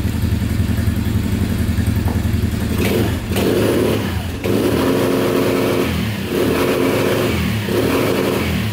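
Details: 2010 Polaris Outlaw 90cc ATV after a carb clean, free revving: revs up hard and bounces off the limiter in short repeated cuts, pulls cleanly to the top; still smoking, owner suspects thin oil seeping past stuck rings.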